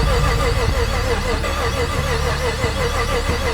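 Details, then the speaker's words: Car that had sat a long time, first start, not yet tuned and with a possibly low battery: it catches but runs ragged and uneven with a wavering drone. Rough running after start; not enough fuel is suspected. "So, we turned the key and it made a little bit of noise. It didn't sound great, but it was something."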